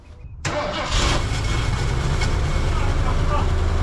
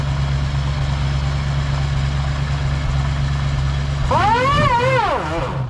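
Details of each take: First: 1979 Ford Ranchero GT V8 with DuraSpark electronic ignition, sitting 20 years: brief crank, then catches at once on choke without pumping and settles into a steady, even fast idle; normal cold start. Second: 1979 Ford Ranchero GT V8, sat 20 years, after test drive, idling then in gear power-braked; uneven lope with one or two inconsistent misfires at idle, smoother under load; owner suspects carburetor issue.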